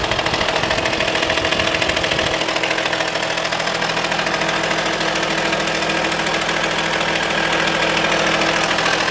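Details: Audi A4 2.5 TDI diesel at idle, glow plugs replaced, injectors OK: steady ticking clatter with faint constant whir, heard on driver's side; source unclear, owner suspects accessory belt but unsure.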